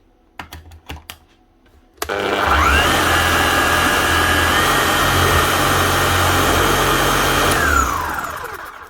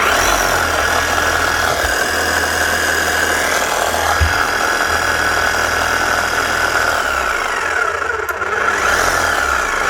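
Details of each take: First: Makita HM1111C chipping hammer, previously overheating, down on power and hammering poorly, after full service and new armature/motor; motor spins up to smooth, steady whine, holds even speed, winds down cleanly; sounds much better. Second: Makita HM1111C non-rotary chipping hammer, old and heavily worked, overheating, down on power and not hammering correctly: steady low dragging motor drone with little hammer punch, running very slow.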